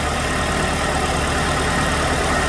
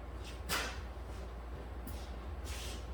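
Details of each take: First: 2006 Chevrolet Malibu 2.2 Ecotec four-cylinder after temporarily fitting a used ignition control module: steady, even idle without misfire stumble, now running on all four cylinders, though plugs likely fuel-fouled from earlier misfire. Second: 2006 Chevrolet Malibu 2.2 Ecotec four-cylinder, flashing MIL, P0300, plugs already replaced: cranks and catches into lumpy, uneven idle with spark tester on waste-spark coil cylinder 1; no spark, cylinders 1 and 4 dead, ignition control module later found failed.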